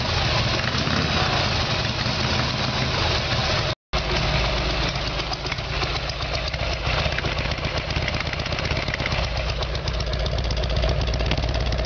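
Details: Harley Evolution Sportster, carburetor problem, rear cylinder not firing, before new plugs and timing: loud uneven idle, ragged lumpy beats and brief dropout; poor fueling suspected.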